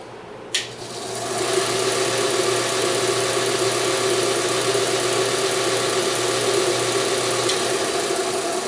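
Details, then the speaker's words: BUCKTOOL 1x8 dual-speed belt/disc sander with induction motor, started on low speed (claimed 1575 ft/min belt); click, then motor hum and belt hiss build over about a second to full speed, slow spin-up; owner notes no visible capacitors, induction motor possibly the reason. "it seems to take a little bit of time to wind up to full RPM and this is low"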